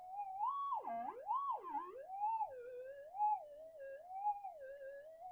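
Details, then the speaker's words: Metal detector with variable damping upgrade, 11" mono coil, Super Goldfinder battery, damping being peaked from under-damped, copper plate target: clear warbling tone swinging about once a second as coil passes; detector responding properly to target. "Now, let's peek it and we'll see what happens. So, you know, the detector's working here, the noise."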